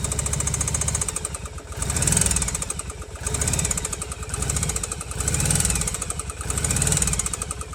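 Rapid, sharp metallic knocking rides steadily over the lumpy V-twin idle, swelling and fading every second or so; an internal engine knock.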